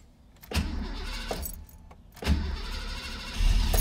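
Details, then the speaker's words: 1991 Foxbody Mustang GT after a Holley Terminator X fuel injection install: short cranking bursts, then the V8 fires into a lumpy, unsettled idle that still needs tuning; first start. "it's alive yeah baby we'll have to settle in the title a little"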